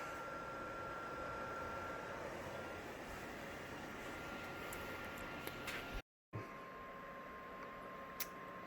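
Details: PS4 Pro console fan roars with steady, loud rushing air like a jet, no pitch change. The owner opened it and cleaned the vents and fan to try to quiet it.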